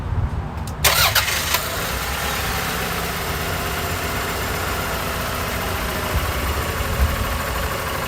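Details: 1995 Toyota Camry started and warmed up after an oil pump gasket replacement for an oil leak that appeared after a timing belt job: cranks briefly, catches quickly and settles into a smooth, even idle with no knocks or ticks; normal start and idle.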